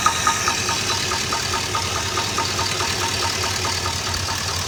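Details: Chevy LS V8 at idle: sharp, hollow knock about 140 per minute. Traced to piston slap on cylinder 5 after removing the water pump; confirmed with the head off, piston loose in the bore; cam and lifters good.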